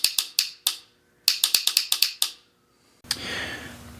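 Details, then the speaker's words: 1986 Honda Rebel 450 running on a lawnmower battery: key turned, only sharp dry clicks in quick bursts with no cranking; bad starter solenoid, no power passing across it. "But we can hear a solenoid clicking, so it doesn't want to turn."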